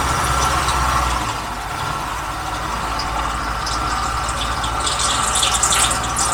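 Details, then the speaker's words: 1968 Ford F-100 pickup revived after 20+ years in a junkyard, idling: steady rumble with faint uneven whirr from the front drive area; owner thinks the water pump pulley, source unconfirmed. "I think that sound is coming from our water pump pulley"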